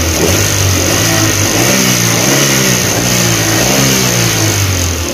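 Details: Suzuki APV (Mega Carry) after service and part replacement for shaking, coughing and power loss: engine picks up and settles cleanly through the revs, smooth even firing with no shake or misfire, running normally.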